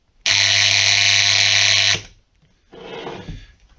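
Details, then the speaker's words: Roller shutter motor powered by testing cable: loud steady electrical buzz for about two seconds with no turning, then cuts out; motor hums but does not move; motor hums but does not turn. "So now I already connected the motor to show you how what the problem was, and didn't move. So this one here is testing cable. So if I turn it on, makes this sound."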